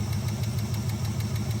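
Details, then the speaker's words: Small-block Chevy with hydraulic lifters, running: the rocker is backed off until a sharp, even tick of about six a second sounds over the idle, then tightened until it stops plus three-quarter turn; reset because of blow-by. "there now you can hear the ticking so it's going to start tightening so he stops hearing the clicking and then it's three quarter turns"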